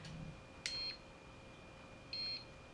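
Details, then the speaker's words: PADO Pure Wave CM7 (CM-07) cordless percussion massager switched to its low setting: two short high beeps about 1.5 seconds apart in a quiet room confirm the setting; working normally. "but you can put it on just low, and it beeps a couple times."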